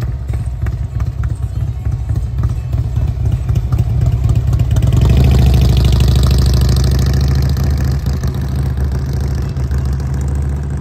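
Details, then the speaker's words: 2006 Harley-Davidson Road King upgraded from 88" to a 95" kit with ported and polished heads, tuned: lumpy, loping idle, then a smooth rev and return to idle with no clatter or misfires; quiet exhaust "sounds like it's got paper in it"; runs well. "sounds like it's got paper in it but I'm glad you're happy with it"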